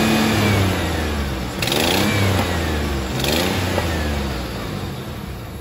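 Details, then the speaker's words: 1998 Ford F-150 4.2, 5-speed, 2WD, 302,297 miles: engine revs and settles with a sharp ticking puff on each firing pulse, quickening with revs, heard from the front; exhaust leak. "Just now we'll pull the front of the, hear the exhaust leak."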